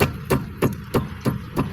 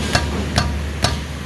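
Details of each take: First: 2005 Toyota Vios (Limo Gen 1) front left wheel after repair, tested by striking the tyre: about three dull, solid thuds a second with no loose rattle or clunk; knock is gone. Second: 2005 Toyota Vios (Limo Gen 1) front left wheel struck by hand: three sharp metal-on-metal clunks about half a second apart, the clunk heard over uneven roads; worn, loose caliper piston housing/bracket, before repair.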